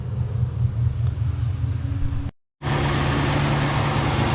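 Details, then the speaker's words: 2005 Lexus LS430 V8, about 365,000 miles, idling with engine bay open: low smooth rumble, no squeal or chirp from belt or pulleys; suspected pulley bearing noise not present, belt and pulleys fine. "yeah I was wrong definitely no noise here looks like probably the cover was just uh old and the pulley might be new so there's no there's no noise there's no squeaking it looks like we're we're good here"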